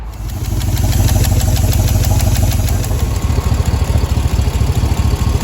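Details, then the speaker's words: 2005 Cadillac Escalade 6.0 LQ9 V8 at idle during a lifter and valve job: sharp, fast ticking that keeps pace with engine speed, from an exhaust manifold leak; two rear manifold bolts missing or broken. A cracked hose also causes a vacuum leak. "oh hold on i gotta connect the masterful sensor got an exhaust leak i'm missing uh a couple bolts that fell down on the ground and i can't even find them anymore"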